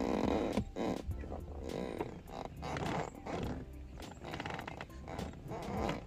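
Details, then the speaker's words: Car passenger leather seat squeaks, groaning uneven bursts, as someone sits and weight shifts; foam and material rubbing on seat frame bars along the sides cause the fart sounds, fixed by greasing. "But along the sides where you couldn't see, the material would have been rubbing off these bars that are up in there. And that's where you get most of your squeaking or your farting sounds."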